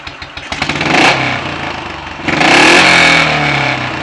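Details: Royal Enfield 500 ASBO 36 single after top-end rebuild, ignition timing backed off slightly and carburetor throttle stop and mixture screws adjusted, warm: thump picks up cleanly through two quick throttle blips, settles back without popping or hesitation; well set up.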